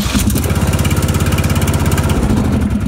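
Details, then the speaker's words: Yard Machines (MTD) riding mower after repair: a worn bracket was built up with weld so the deck safety switch engages again. The single-cylinder engine fires and settles into an even, steady thump and now starts every time. "we go so now it starts every time so just a quick little fix just needed a little bit of weld a little bit more material put on there and now the safety switch for the deck is engaging and everything is good"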